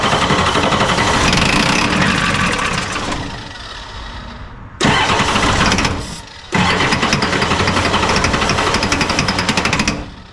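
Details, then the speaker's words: 1986 Ford F350 diesel, first start after fuel return rail repair, many failed starts: loud, hard knocking about four a second through cranking and catch, dropping out and returning; owner suspects a bent rod, cause unconfirmed. "That is [ __ ] loud. That sounds like a bent rod."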